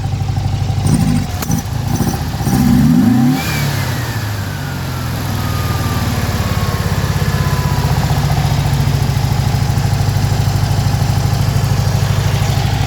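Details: Car with Weber IDF 40 carburetors clogged by ethanol fuel, a new fuel pump not supplying enough, fuel poured in by hand: blips with sharp pops and flame, then an uneven idle; backfiring through the carbs. Owner suspects too lean, and idle adjustments are being made.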